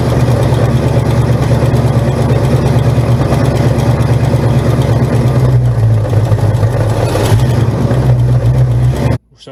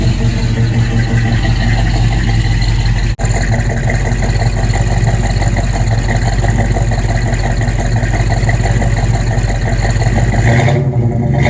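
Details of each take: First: 1971 Buick Gran Sport with a 1973 Buick 455 bored 30 over to 462 ci, running: a heavy V8 rumble with a deep, uneven knock about three per second; suspected loose flex plate/torque converter bolts, to be checked on a jack. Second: Buick V8 (one of the project cars: 1971 Gran Sport with bored 455, 1970 GS 455, or 1970 Skylark GS clone with 455) settling into a deep, even idle with steady firing and no knock or tick, sounding much better after tightening to cure a noise; normal.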